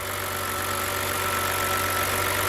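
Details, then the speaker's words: BMW N52 six-cylinder at 222,000 miles (about 350,000 km), found with no coolant: smooth, even idle hum with a steady faint whine, no knocks or ticks; possibly quieter than the owner's own engine. "I mean, this engine, like, I think even mine is not as quiet."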